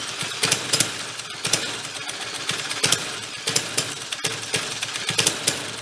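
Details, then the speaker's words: 1965 Corvair Monza SS Rupp go-kart small single, running rich with mixture unadjusted: rough, irregular sharp puffs and pops spitting out beside the cylinder; blown head gasket. "It is blowing out the side of that cylinder too. It's the head gasket's no good."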